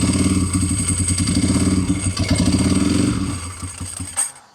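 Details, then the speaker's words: Motorcycle started after oil change (almost four quarts 20W-50), brake and clutch fluid change and fitting a new $30 battery: engine ticks over at a quick steady beat with no knocks, then shuts down; normal running. "So, there's I think she's a runner."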